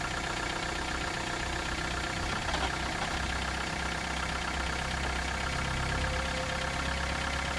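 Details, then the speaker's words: 1991 Toyota Camry at idle, mic in the engine compartment with the hood closed: a dull, uneven tapping about once a second. Owner is unsure whether it is bottom-end rod knock or top-end valve noise. "This is my 1991 Toyota Camry which has developed an engine noise. The question today is is that engine noise on the bottom end like a rod knock or is a noise on the top end more in the valve area?"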